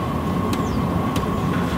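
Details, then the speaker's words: Dosing pump supplied with a Chinese diesel heater in a motorhome, at its lowest rate of 1.6 Hz: sharp clock-like ticks about every 0.6 seconds over steady heater fan hum; normal pump ticking, louder at the 5.5 Hz high setting. "well it's coming from the little dosage pump that was supplied with my Chinese diesel heater and at its lowest tick over rate of 1.6 Hertz it sounds like a clock ticking all the time"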